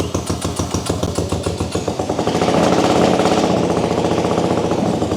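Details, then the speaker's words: 1979 Honda CX500, formerly seized, started on the electric starter on choke and running off its own tank. Even, quick exhaust pulses at about 3.5 per second, rising slightly as it settles; the twin runs cleanly. Normal running on choke. "right away doing it Craig it's running off the tank we're doing it nice okay we can work with this so far"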